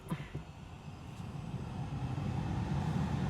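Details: Tesla Model 3 after replacing the rabbit-chewed front-end wiring harness: AC cranked up, steady low rushing airflow rising smoothly as the fan speeds up, no rattles or squeals, cooling well; normal blower operation.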